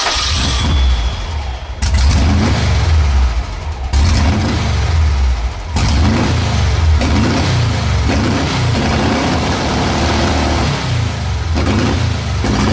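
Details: VW engine run on vaporized gasoline through a simple vaporizer feeding the carburetor intake, valves being adjusted together; repeated cranking and catching, rough revving, then it settles into running on vapor fuel: engine starting and running.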